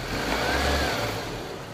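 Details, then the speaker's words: Mitsubishi Lancer idling after alternator bearing replacement: smooth petrol idle with a steady low hum; the loud metallic bearing noise heard before is gone. "so ayan ah wala na yung tunog kanina na naririnig namin nung customer na tunog bearing bakal so yan Okay na"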